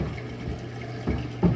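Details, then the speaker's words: Kenmore Elite front-load washer, model 110.42922200, diagnostic step CO6 drain: a steady low hum of a small pump with water gurgling through. The drain pump is running normally as water empties. "CO6. And you can hear the drain pump on. Drain water's coming out."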